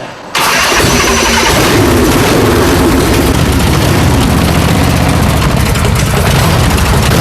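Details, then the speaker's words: Custom V-twin chopper, first start after build, with fresh transmission lube: brief crank, then it catches at once and settles into a strong, loud, lumpy idle; clean healthy first start. "The sweet sound of success."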